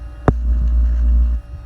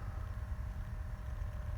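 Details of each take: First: 12 V Danfoss/Secop BD fridge compressor in a camper, drawing 7.4 A before a speed-control resistor switch is fitted; steady deep hum holds about a second then drops away, compressor running at high speed. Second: 12 V Danfoss/Secop BD fridge compressor in a camper, after switching its speed-control resistor so the current draw falls from about 7.4 A to 4 A: steady low hum, even tone, no knocks, audibly slowing to a lower speed and running smoothly.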